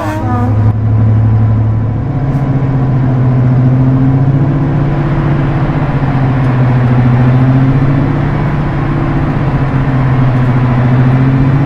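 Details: Class 55 Deltic locomotive 55009 with Napier diesel, number 2 engine, just started from the cab after pre-lube, onboard mics: deep steady roar swelling and settling evenly, no knocks or misses; running healthy.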